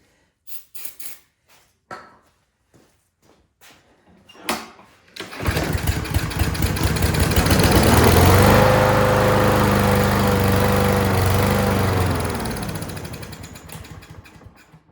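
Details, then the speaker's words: Craftsman M230 lawn mower that wouldn't start: on starting fluid it fires, runs evenly about seven seconds then fades and dies, pointing to a carburetor fuel delivery fault. "All right, so that tells me that we got something going on in the carburetor."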